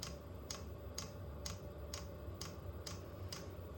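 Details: Vevor 8 kW Chinese diesel heater at first startup, fan running: sharp, steady ticks about twice a second over a soft fan hum as the dosing pump feeds fuel; normal, though air is suspected in the line.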